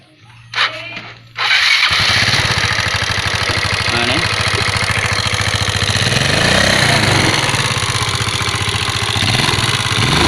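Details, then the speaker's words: Yamaha Mio carbureted scooter, smoking, down on power, often run low on oil: after a short crank it fires into a coarse, heavy, clattering idle; camshaft and rocker arms worn from lack of lubrication. "Mungkin sering kehabisan oli mesin ini atau telat dalam penggantian oli Hai sehingga noken as-nya aus terkikis karena kurangnya pelumasan"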